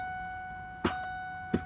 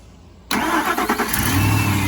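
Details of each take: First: 2002 Ford F-150 5.4L: key turned with battery charged gives only sharp clicks, steady warning chime behind, no cranking; everything else bright, so the starter motor has failed (starter wiring also corroded). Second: 2002 Ford F-150 5.4L V8 after starter replacement and corroded starter wiring repair (previously only clicked): starter engages cleanly, short crank catches within a second into a steady, even idle; normal crank and start.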